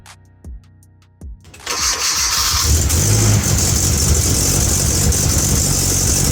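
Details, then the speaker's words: Hyundai Avante (Elantra) after broken wires causing misfire were repaired: short crank, catches at once, loud even idle with open raspy exhaust from an open clamp exhaust leak, no intercooler; no misfire. "as you guys can hear it. It doesn't got no mis fire and nothing like that."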